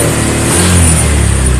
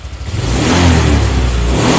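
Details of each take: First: Honda Vario 125 LED scooter (fuel-injected) held at full throttle: revs drop and exhaust goes brebet (stutters) instead of climbing, fuel pump pressure normal (reads 40). Power loss and misfire at wide-open throttle from a faulty throttle position sensor. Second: Honda Vario 125 LED fuel-injected scooter after adjusting throttle position sensor (TPS voltage set around 4.1): engine climbs cleanly to high revs at full throttle, even rising tone without stumbling, then settles back. Normal wide-open throttle rev.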